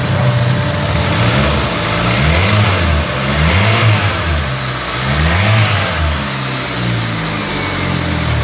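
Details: Peugeot 206 after engine wiring harness repair for stumbling under throttle: engine climbs and drops through repeated blips cleanly with no stumble or hesitation; sounds healthy.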